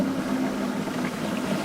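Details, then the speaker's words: Dishwasher circulation pump that hummed without washing, 3 µF capacitor measured 2.5 µF, temporarily replaced by a 10 µF one, partly reassembled: constant low even hum, no growl or stalling; pump running for now. "подключил частично собрал посудомойку включил все работает но пользоваться не стал все же каньоне по номиналу"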